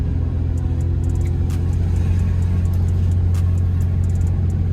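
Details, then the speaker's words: Nissan G35/350Z test drive after front wheel hub bearing replacement, pulling away where the noise was first heard: steady low road rumble, no growl or hum building with speed. Bearing fixed; a slight rubbing is suspected to be the brake dust shield. "we fixed the issue i thought i was hearing something but i'm not"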